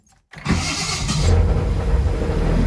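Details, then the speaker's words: Triumph 2000: engine catches after a short crank and settles into a low, lumpy idle, getting fuel only with choke on; owner suspects a blocked jet inside the carb, not confirmed. "so I only got petrol with choke. Right. Interesting. So probably the jet inside is blocked."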